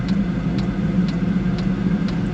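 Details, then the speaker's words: Chinese diesel heater in a Mazda Bongo/Ford Freda, with E-08 and E-10 fault codes, on temporary exhaust: steady low combustion roar with fuel-pump tick about twice a second, burner lit and smoking, possibly burning leftover brake cleaner rather than diesel. "that definitely sounds like it's lit now"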